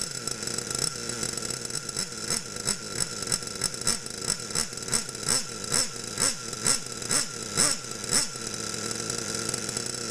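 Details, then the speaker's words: Losi Aftershock nitro RC engine after leaning the carb needle in 1/8 turns to cure bogging: it blips cleanly about twice a second, holds a steady high buzz and revs smoothly; low-speed needle now fine. "okay so now I do think that the low-speed he was fine with a carb needle great"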